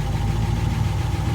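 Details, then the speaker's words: Graymarine 138 AMC V8 in a probably early-1960s 23-foot Lyman, just after oil priming a worn oil pump that had lost prime; oil pressure comes right up at idle, deep steady even rumble without knocks: normal idle. "Look at that. Come right up. Didn't even have to raise the throttle. Plenty of pressure."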